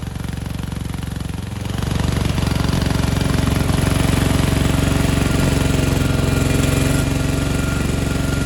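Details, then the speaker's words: 1987 Gravely Professional 18G riding mower, Kohler Magnum 18 hp single-cylinder, original 35-year-old carburetor out of adjustment: thump rises then wavers up and down on its own as linkage moves without throttle lever input; bogging, surging. "And we want to point out the carburetor. It is acting sporadically all on its own, basically changing throttle settings without us moving the throttle lever up top."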